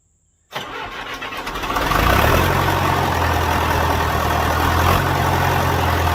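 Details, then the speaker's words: John Deere 450 diesel, first start after in-frame rebuild and fuel system bleeding; cranks, catches within a second and settles to an even, steady idle with no misses or knocks; healthy engine. "sounds good all right well that was really good"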